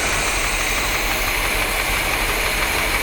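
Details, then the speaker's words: 1973 Corvette 454 big block with rebuilt carb, revived after sitting since the 1980s; rough, loping idle with cylinder 8 misfiring. Possible headlight vacuum leak on number 8 runner plugged, hoping richer mixture helps; runs about the same. "maybe without a potential vacuum link on that number eight runner it'll run a little bit more rich and then it'll start hitting"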